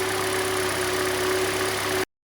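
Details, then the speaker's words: Hyundai Elantra 1.8 G4NB, 173,000 km, automatic, after repair of scored pistons and under-hood knock; warm engine at smooth, quiet, even idle with steady hum, no knocks or ticks; normal idle. "Работает ровно, работает тихо. Самое главное."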